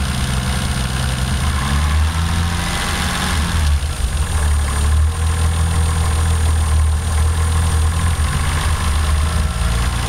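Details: Toyota 7MGTE engine checked with a Colortune spark plug, idling deep and uneven with lumpy dips every few seconds: a misfire on cylinder 1.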